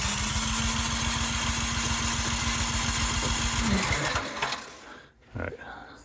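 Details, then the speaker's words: Cub Cadet 528 snowblower on electric start with primer and choke: starter whirs, engine chuffs evenly for about four seconds but never catches; no fuel delivery. "One was that this needle was stuck, so it wasn't letting fuel in."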